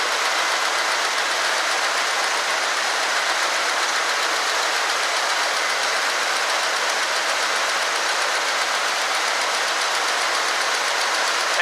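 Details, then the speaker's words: 1965 Ford Galaxie 500 idling with choke set after fixing a transmission vacuum leak, even steady hiss-like idle with no surging, misses or knocks; running much better. "Set the choke. It seems like it's running way better. That vacuum leak on the transmission, I'm sure, was causing problems. Idle sounds good."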